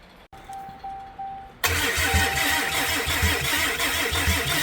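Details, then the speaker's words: Flooded 2022 Rocky Ridge Ram 2500 after swapping in a replacement starter: brief starter whir, engine fires abruptly and holds steady, slightly uneven idle; healthy start. "Probably want to shut it off, but man, we got this thing fired up."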